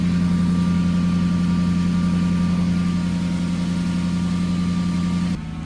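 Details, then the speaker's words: Lexus SC400 with code P0307 on cylinder 7, shaking at stoplights and traction control light blinking: a low idle with an occasional deeper, stumbling beat from the engine and exhaust. Cylinder misfire. "You could kind of hear it, the misfire. Bugs. You can hear it from the exhaust too. It has like that deeper sound, like every now and then. It'll make the engine shake."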